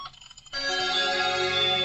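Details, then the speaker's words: 2008 Chevy HHR LT with an aftermarket radio and a newly installed Axxess GMOS-LAN-04 interface: a clean, steady chime tone through the speakers; chimes and OnStar voice now work, but the steering-wheel controls don't yet. "all right so all the uh bings and bops and onstar voice thing works"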